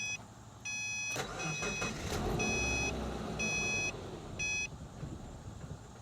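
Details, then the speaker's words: Late-model Subaru with fuel pump fuse removed to release fuel pressure before fuel pump replacement: door chimes, starter cranks, engine catches briefly then dies, cranked a few more times. "So now we'll crank the car. It'll probably start and then it'll die off. Crank it a few more times and that will release all of the fuel pressure in the system."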